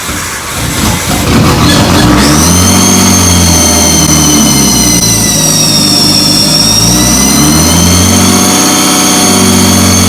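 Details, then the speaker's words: Nissan 240SX with RB engine swap, first start after work: rough hunting idle with a sharp steady whistle from a vacuum leak at the idle air control valve, not seating despite a new gasket. "I had a issue with the idle air control valve sensor leaking um I had a bad vacuum leak as you guys heard there and it was coming from the idle air control valve sensor it just wasn't seating properly even though I put a fresh new gasket in"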